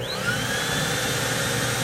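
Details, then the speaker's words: Advance Aquaclean 15 HD walk-behind carpet extractor, vacuum motor switched on while spray and brush run: steady, even rushing roar with high whine on top, no surging or rattle; normal vacuum motor operation. "there you can hear the vacuum come on. It's a good unit."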